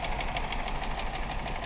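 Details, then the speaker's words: 1999 Ford Escort ZX2 2.0L Zetec DOHC, cylinder two at 25 psi compression: rough, loping idle with a pronounced miss and tap, heavy blow-by at the oil filler; owner suspects lower-end failure. "Very pronounced miss. A lot of blow-by, which is leading me to believe we've got lower end issues."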